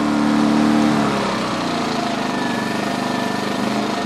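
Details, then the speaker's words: 2010 Champion 2000W generator after cleaning the carburetor, gummed up from 3-4 years of little use: in eco mode, choke in, it runs smooth and even with no surging, where before it surged unless choked. "Econo mode, choke in. Before I couldn't even put the choke in. If I put the choke in, the thing would just surge. Wah, wah, wah. Now it's running nice and even."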